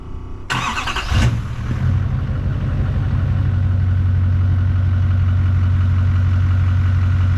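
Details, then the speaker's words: Tow truck being prepped for a Dodge Hellcat's first drag strip trip, just after fuel, oil and transmission filter changes with everything full: quick crank, catches at once, steady even low idle with no ticks, misses or hunting; normal start and idle. "All right, guys, we got the fuel filter, the oil filter, and the transmission filter changed. Everything's full. Let's go ahead and start it up."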